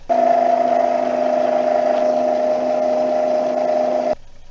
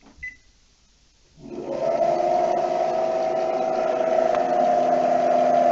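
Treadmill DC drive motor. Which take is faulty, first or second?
second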